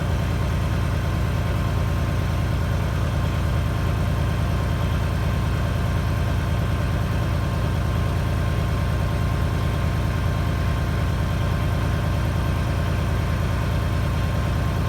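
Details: 1997 International 9200 diesel idling after air dryer repair: steady even idle while the compressor builds air, then sudden sharp air hiss as the dryer purges; normal cut-out.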